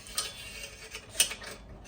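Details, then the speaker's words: RV furnace under diagnosis: crisp, high-pitched snaps about once a second over a quiet background; the igniter is sparking steadily and normally. "that's usually the last thing I'm going to check you usually hear the the spark it's samping pretty good it's okay"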